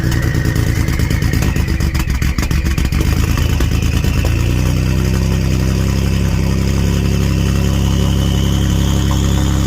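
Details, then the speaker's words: 2015+ Ford F150 3.5 EcoBoost after DIY DeatschWerks DW440 brushless fuel pump install, for E85, running without muffler: loud raw blips settling into a deep steady drone, no misses or knocks; pump working, drove next day without issues. "Man, that sounds kind of mean without a muffler on it, but I'm glad to see everything's working."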